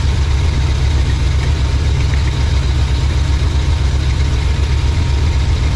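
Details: 1987 GMC Suburban V8 just fitted with Evil Energy carburetor replacing Edelbrock, one-chamber Flowmaster mufflers: loud, deep, even idle rumble, no misses or knocks; not smoking or smelling rich; running well.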